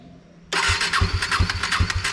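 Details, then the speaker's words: KTM Duke 250 motorcycle started after sitting about two months unused: silence, then the engine catches abruptly and runs with uneven, lumpy pulses on a rough first start; hard starting, cause not confirmed. "Puri तरह से डर चुका था यार की मेरी bike को पता नहीं क्या हो गया यार स्टार्ट नहीं हो रही है"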